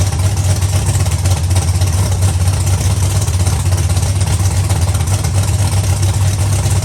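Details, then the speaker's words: Big block Chevy Nova V8, first fire-up with updated ignition and nitrous control: deep, steady rumbling idle with even beat, no knocks or misses; runs and sounds good, healthy. "But yeah, it runs. It sounds good. Nitrous system works."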